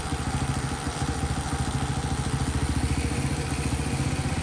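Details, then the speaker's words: Champion mini bike, new, after fixing a no-spark issue with a new 12V harness, CDI and coil: steady quick putter at idle, about three pulses a second, even without stumbling while warming up; idle may need turning up slightly; normal idle. "it may take a minute to warm up just leave it up that's a nice sound I haven't heard for a while"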